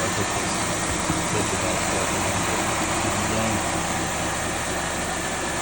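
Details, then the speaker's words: A 2006 Chevy Malibu LT Maxx 3.5L V6 idles smoothly after the water pump, whose bearing was whirring and squealing, was replaced along with pulleys, the tensioner and the accessory belt. There is no more whirring or squealing: normal idle. "Started her up. Noise went away."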